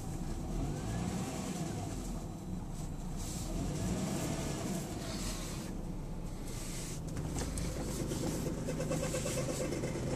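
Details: 2003 Lexus GS300 idling with a rough, chirpy rattle that sounds like the belt but owner says is not the belt; tensioner pulley bearing already replaced, cause unknown.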